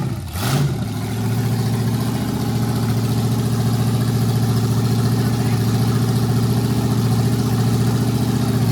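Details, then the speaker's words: Never-run 350 small-block Chevy V8, built 25 years ago by Crankshaft and Valve in Waco and stored in a barn: quick crank, catches and settles into a steady, even low rumble; normal start and idle. "And she fired right up."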